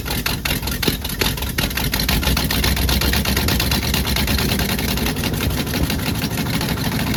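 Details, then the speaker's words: 1966 Jeep Gladiator with 327 Vigilante V8, first runs after fuel-system work, throttle held by hand; fast smooth even running well above normal idle, suspected choke adjustment. "that ran smooth at really high RPMs uh must be the choke adjustment for this"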